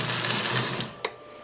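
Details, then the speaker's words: ALCO model train locomotive from eBay, tested on the track without its shell after cleanup, E-unit engaged; harsh high buzzing whirr fading to faint ticks; loud E-unit that will need more service. "man that eunit is loud that's probably going to need a little more service eventually"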